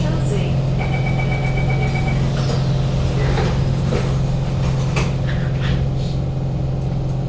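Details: Kawasaki Heavy Industries C151 train 067/068, recorded inside carriage 1068 near door A4/B4 between City Hall and Lavender: heavy steady low drone from air-conditioning and ventilation, loudest when decelerating into stations, subsiding only at full stop; loud air-con noise.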